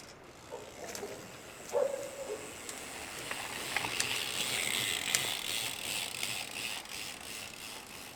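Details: Shimano XT M8110 12-speed Micro Spline rear hub, fairly new: uneven, sharp, thin dry ticks and creaks a few per second over a quiet background, the under-greased freehub creaking.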